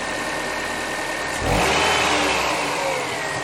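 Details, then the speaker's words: Car started up. A steady idle, then a quick clean blip that rises and falls smoothly with no stumble or misfire: it revs freely. The owner suspects a small air leak around the intake manifold. "just start it up just see how it is smooth as a whisper"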